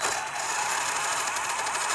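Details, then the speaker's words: Redcat Volcano EPX Pro brushless RC truck: raspy, high-pitched scratching with faint quick pulse whenever driving; gear scratching, motor seemingly shifted out of position against the gears, suspected not confirmed. "my redcat volcano brushless epx pro has been making a really strange uh gear scratching noise every time i drive and i'll show you right here"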